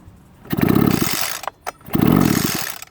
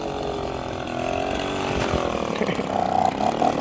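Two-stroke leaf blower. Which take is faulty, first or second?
first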